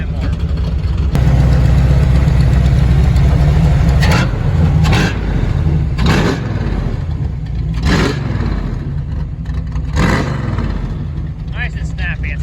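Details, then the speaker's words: V8 with freshly rebuilt and tuned swap-meet Holley 750 double pumper carburetor, idle set and accelerator pump arms adjusted, street/strip use: steady lumpy idle with quick sharp throttle blips rising and dropping cleanly, no stumble; crisp, snappy throttle response. "snappy, that's what we're talking about."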